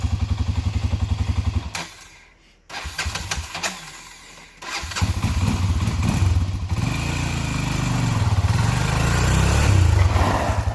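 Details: 1997 Honda 300EX quad after oil change and new brake pads: single cylinder catches after a short crank, then idles and revs with even crisp firing; healthy engine.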